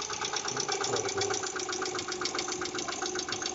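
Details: Mitsubishi Pajero 4 3.8 at idle: light, sharp ticking about four times a second over a steady idle; hydraulic lifter tick.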